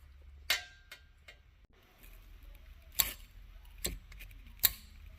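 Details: Old clothes dryer gas valve solenoid, wired up on the bench for a forge burner experiment; crisp isolated clicks about a second apart as it opens and closes normally.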